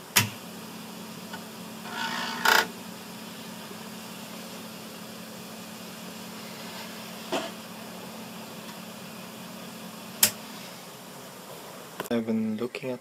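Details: Commodore 1541 disk drive bought as faulty, reads disks: faint steady motor hum that never cuts out; spindle motor runs continuously, traced to a shorted motor-control capacitor (CR10 position shorted).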